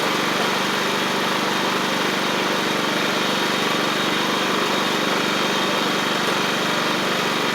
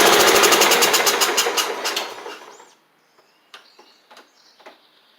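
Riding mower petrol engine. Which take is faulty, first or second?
second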